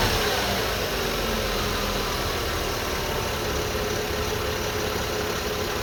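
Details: 2002 Lexus IS300 manual at idle: faint constant whine over a steady engine note. Persisted after timing belt, water pump, front main seal, cam seals and VVT-i gear were replaced; alternator replaced about two years earlier; owner suspects oil pump or alternator.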